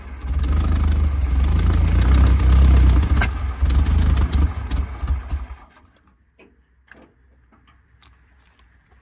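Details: VW Wizard engine, first run in this car, carb primed, distributor and timing not yet set: loud low lumpy beat for about five seconds then stalls; runs rough, needs a tune-up.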